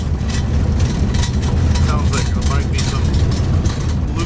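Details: Truck with stack exhaust driven over rough ground: a deep engine drone with irregular, sharp rattling bursts as it bounces, likely loose items rattling somewhere.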